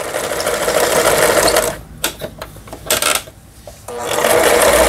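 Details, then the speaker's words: Yamata FY812 sewing machine, Chinese-made and about 15 years old, after repair of internals seized from long disuse: fast, even stitching chatter with a short pause of light taps, then a smooth run; reverse and forward work normally. "후진, 전진, 정상 작동되고 있습니다."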